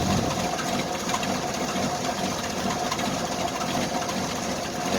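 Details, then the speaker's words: Old carbureted Jeep Wrangler YJ cold start in cold weather after months sitting, owner suspects an exhaust leak; uneven, lumpy, stumbling idle while still warming up; rough cold idle. "poor old girl still runs good though believe it or not called carburetors don't like this weather too much"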